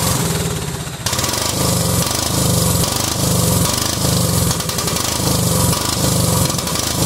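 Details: Cub Cadet 2130 lawn tractor, just started, engine runs but lopes unevenly, surging and sagging about once a second; fuel system full of water and rust, owner suspects water in the carb bowl causing the rough running.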